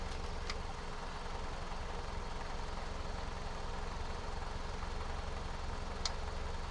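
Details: 1988 Chevy C2500 with a 6.2 diesel and aftermarket Banks turbo, over 400,000 miles, long sitting, started with a gas-soaked rag in the air filter; low, steady, even diesel clatter at idle with no misses.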